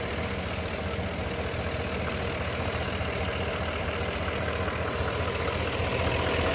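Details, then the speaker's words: Cadillac Escalade Hybrid, Vortec 6.0: light, fairly even tick about two or three a second over a steady idle, heard only from the driver's side and coming and going; suspected injectors, engine ticking noise source unclear. "Are those injectors or what? I hear them coming only from the driver's side"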